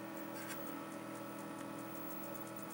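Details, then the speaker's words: Zenith Z1510J "Bug Eye" TV under restoration: faint sharp irregular ticks over a steady hum; owner suspects arcing inside the hard-turning, broken-shaft vertical linearity control, unconfirmed. "you can hear some kind of weird like almost an irking sound coming from somewhere around in here I think it might be a bad vertical linearity control the shaft is kind of broken off on this and it's really hard to turn I think it might be some arcing inside that control"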